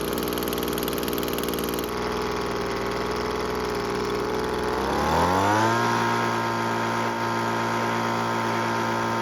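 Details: Weed Eater two-stroke leaf blower that wouldn't start, after the carb was installed with its gasket, the fuel bulb cleaned and the air filter replaced. Buzz drops smoothly into a steady, even idle with no stumbling; normal running and idle.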